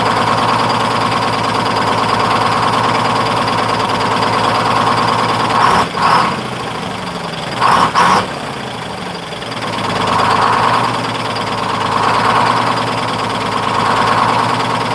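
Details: 1948 GMC Silversides PD3751 Greyhound bus, Detroit 6-71 two-stroke diesel after in-frame rebuild, first start: steady busy idle with a couple of handling knocks, then smooth throttle swells picking up promptly; good response, normal idle and revving.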